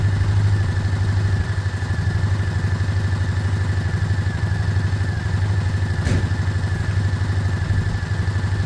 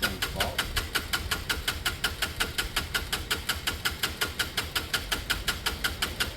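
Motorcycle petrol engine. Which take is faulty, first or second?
second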